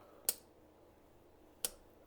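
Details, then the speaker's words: Stripped cheap 125-150cc dirt bike engine with cylinder and piston removed, crankshaft turned slowly by hand: three sharp dry clicks at uneven intervals of unknown source; conrod and crank bearings show no play, so the clutch side is checked next. "t'entends le bruit ? Je ne sais pas d'où ça vient."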